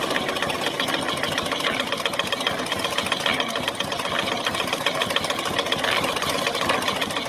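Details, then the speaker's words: Honda Supra X 125 idling with the clutch cover removed; the clutch hub wobbles very badly. A harsh metallic scraping grind runs constantly over a steady idle. "Nah jadi seperti itu putarannya pada tunggu koplingnya ya teman-teman tuh kalau menurut saya sangat banding sekali sangat parah sekali dan bunyinya pun lebih Ketahuan ya teman-teman pas dibuka bak koplingnya tadi"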